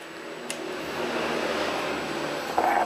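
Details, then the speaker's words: Honda Beat FI scooter that was totally dead: after a bad, badly drained battery is bypassed, the fuel pump gives a soft steady priming hum, which is normal, and the engine then starts. "Ini bagian full pump sudah bunyi ya, sudah berdenging"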